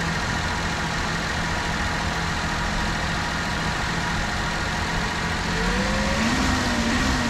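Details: 1996 Mitsubishi Minicab kei truck after new plugs, wires, rotor and cap: small engine settles into a smooth, even idle with a steady low hum, then a light rise in revs; runs clean and smoother than before.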